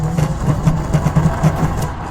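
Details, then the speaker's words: Electric scooter hub motor under riding load, quiet when unloaded: low uneven growl with stuttering hum pulses; damaged motor wires were shorting, and a mismatched replacement hall sensor is suspected of malfunctioning. "就是这个声音，有时候过一些烂路，车子还要停下来再重新拧动转把才能走。"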